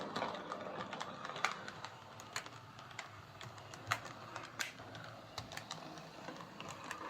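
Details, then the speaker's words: Bachmann Webb Coal Tank 0-6-2 model locomotive after rear axle repair, running on layout: faint motor whirr with irregular sharp clicks and clunks going round bends, quiet on the straight. Damaged wheel flange catching on curves. "It's clunking on the bends. You hear that? When it stops in the straight."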